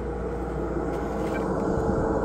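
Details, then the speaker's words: AC Infinity Cloudline A6 352 CFM inline duct fan replacing a Vivosun 195 CFM on laser exhaust, running on high: steady even rush of air with low hum, no rattle; a bit louder but fine. "lot of air flow and it's a little bit louder but it's not bad and like I say you can adjust it for whatever you want here okay"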